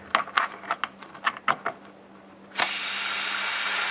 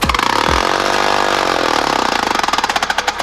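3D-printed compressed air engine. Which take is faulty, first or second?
first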